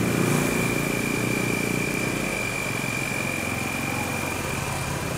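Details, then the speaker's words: Honda Vario CBS Techno scooter that suddenly sputtered and stalled, after fitting a new regulator/rectifier (kiprok): steady, even putter with no stumbles or cut-outs, idling smoothly and running even without battery, so the regulator works normally. "Nah ini adalah sebagai bukti kalau kiprok tersebut bekerja dengan normal mas bro, jadi tanpa aki pun dianya itu masih bisa hidup"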